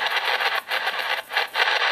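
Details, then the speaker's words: Wine refrigerator, one of the worst household RFI sources, heard on the low end of the AM broadcast band: loud rushing static swelling and dropping out about twice a second. "one of the more egregious examples of noise in my house is this wine [Applause]"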